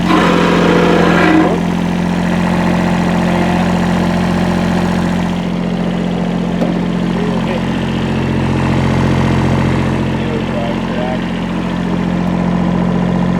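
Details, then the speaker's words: Kubota B7100 diesel tractor with loader, sat about 10 years in a collapsed barn, after a fan belt change: steady, even idle with a smooth low drone and no knocks or belt squeal; runs well and all gears work. "Pretty good. All the gears work."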